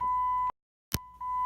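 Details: 2007 Jeep Grand Cherokee 5.7L Hemi V8, new battery, 12.14 V at starter: single sharp click between dash chimes, no cranking; failed starter, replaced.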